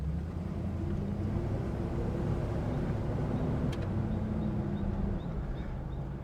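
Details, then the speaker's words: All-original 1972 Chrysler Imperial LeBaron with 13k miles. Steady V8 idle under a constant rushing fan roar; the engine fan spins fast at idle with the automatic climate control on and calms once moving, which is normal. "You hear the engine fan. They have these set up so that if you're idling cuz you're using the automatic climate control, the fan's really spinning fast. Once you get going a little bit, it'll calm down."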